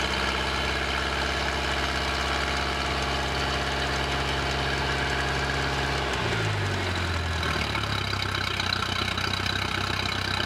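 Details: 1986 Four Winns 170 Horizon boat's carbureted 3.0L Mercruiser, first start after winterization, after some cranking to fill the carburetor: steady, even idle with a smooth low rumble, no knocks or misses; running cleanly.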